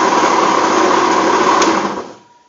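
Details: Rex RS 500 scooter: high buzzy engine with a thin steady whine on top, running evenly before cutting off; unexplained engine noise, source unclear.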